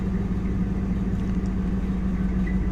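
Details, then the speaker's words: Auction Ram Hemi truck V8 idling with a low, dull knocking under the drone despite good oil pressure, after seeming to lock up; owner guesses banging rods from a spun bearing, not confirmed. "rods are banging it sounds like uh my guess is it's spun a beari"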